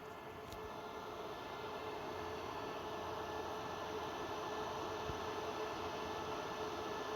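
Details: Dell PowerEdge R730 with one 6-core Xeon at idle, recorded at rear then front: steady, even rush of air with faint constant hum, no surging or rattles; normal server fan noise at idle.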